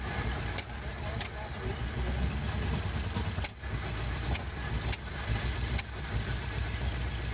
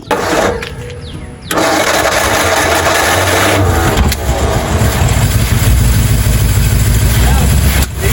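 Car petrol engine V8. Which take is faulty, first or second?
second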